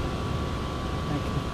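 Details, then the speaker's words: 2004 Lexus GX470 after replacing leaking driver rear air spring; steady electric hum, thin constant whine over low rumble as air suspension compressor pumps, raising truck to normal height. Normal operation. "so hopefully you guys can hear this you can hear the compressor here take and the airbags coming up"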